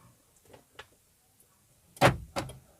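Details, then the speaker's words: Car central locking after resetting the control box under the steering column by unplugging and reconnecting its plug: key on locks, key off unlocks; faint clicks then two sharp clunks, actuators working normally. "ನೋಡಿ, lock ಆಗ್ತಾ ಇದೆ. ಈಗ of ಮಾಡ್ಕೊಳ್ಳಿ. ನೋಡಿ, unlock ಆಗುತ್ತೆ."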